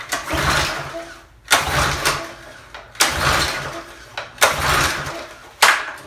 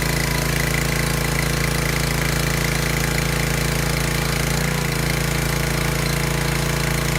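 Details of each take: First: Discarded Craftsman 2700 psi pressure washer small engine, spark plug cleaned of excess oil. Repeated pull-start bursts but it never catches; the air filter was covered in oil, and the owner suspects oil leaking through the carburetor. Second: Discarded Craftsman 2700 psi pressure washer with hose and wand attached. Steady, even engine drone with a low hum and faint pump chatter while washing under load; no misses or knocks, healthy.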